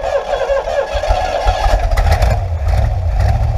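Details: Rebuilt SBC 350ci 300hp V8, original engine from a 1970 Nova, first start after rebuild: catches and settles into a steady, throaty idle, firing evenly with no knocks or ticks; sounds healthy.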